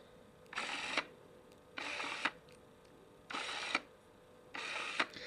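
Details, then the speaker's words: Canon EF 70-300mm f/4-5.6 IS USM lens: four short whirring autofocus bursts, each ending in a small tick, plus image stabilizer clicks switching on and off; normal for this lens. "kind of noise is normal for this lens, so it's totally okay."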